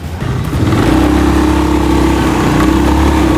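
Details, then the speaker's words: Honda BeAT FI scooter road test after replacing CVT pulley and rear clutch plates for a rumble under acceleration and uphill: engine note climbs smoothly pulling away, no grinding or rattle from the belt drive; noise gone. "Ini adalah video hasil perbaikan, hasil penggantian piring Pak CVT dan piring kulit belakang. Ini noise tidak ada, sudah hilang."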